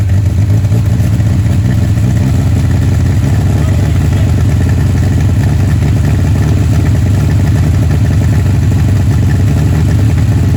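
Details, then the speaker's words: 1959 Reliant Regal three-wheeler, first run in over 20 years, on full choke that can't be adjusted, smoking, with oil pressure: loud steady low drumming, no misses or knocks over twelve seconds; running evenly. "I bet she would fire up again. It's on full choke and I can't adjust the choke."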